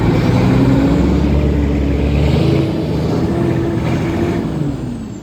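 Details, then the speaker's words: Mack MP8 diesel with turbo, first start after a long repair: loud, deep, steady idle through an open straight pipe, firing evenly with no misses or knocks; the engine is running healthy. "oh yeah yeah yeah I forgot about that D that sounds awesome this thing sounds really good actually"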